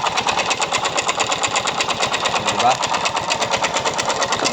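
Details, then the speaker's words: Yamaha Mio Soul i 125 scooter running with the pulley fitted but its rollers removed; sharp regular metallic tapping about twice a second; owner blamed the CVT, but the mechanic diagnoses a worn connecting rod. "So pinaandar ko. Anong naririnig niyong ingay mga kaibigan? Connecting rod po 'yan."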